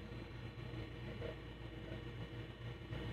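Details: Seagate ST-251 MFM hard drive in a Compaq Deskpro, revived and low-level formatted, booting from the drive: low steady motor hum with faint soft head-seek ticks, no scraping or knocking; normal spin-up and seek.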